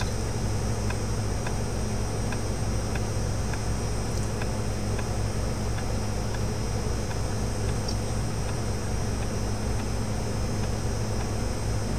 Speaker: if you can hear it clicking that's what it means it's doing it's actually reading the disk